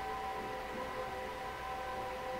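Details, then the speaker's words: PC with a 28-core Intel Xeon W-3175X at 4.2 GHz running Cinebench R15, on a Gigabyte motherboard with EK 360 mm water cooling. Steady high whirring with fixed tones, mostly from the VRM heatsink's four fans, not the water cooling. The CPU is throttling; loud fan noise under load. "Alors, le bruit de la machine ne vient pas du système de water cooling, mais le bruit de la machine vient surtout en fait du dissipateur et des 4 ventilateurs qui sont juste au-dessus des VRM."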